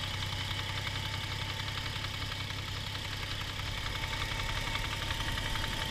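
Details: Toyota 1G-FE (Altezza / Lexus IS200/IS300), fully warmed, hot idle: steady light knock, near three a second over the engine hum, from the front timing-cover area. Absent cold; VVT clutch suspected, unconfirmed.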